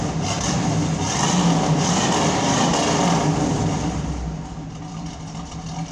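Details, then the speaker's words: 1972 Pontiac Firebird Trans Am V8 after replacing a muffler blown apart when the engine was loading up with gas: deep burble rises on a throttle blip then settles, even and mellow, no rasp or leak; normal exhaust note, better than before. "it's better than what I had"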